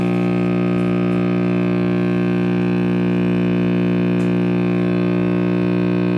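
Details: Vintage RCA Victor X551 radio after recapping and power cord rewiring: a constant deep buzzy hum; owner suspects the last filter capacitor soldered in, which was not confirmed as good.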